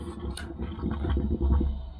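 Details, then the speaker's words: Combi boiler in ignition lockout: low irregular gurgling and bubbling from water backing up in the boiler, suspected to be a blocked condensate trap, with the condensate pipe likely running behind a washing machine. "from experience you can hear that sound you can hear that it's got water in the boiler so most likely the condense is going to be blocked"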